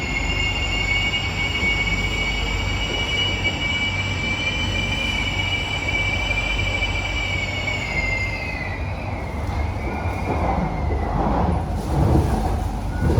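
A high, steady squeal runs over the rumble of the car for about eight seconds, then falls away as the train slows; wheel screech.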